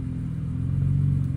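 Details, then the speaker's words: Infiniti Q60 Red Sport with red interior and not-bad mileage, runs and drives: deep, even low burble at steady idle through a louder exhaust, no knocks or ticks; sounds good, owner doesn't think it's tuned. Normal exhaust burble. "Sounds really good. Has a little burble to it, but I don't think it's tuned. Doesn't sound tuned or feel tuned."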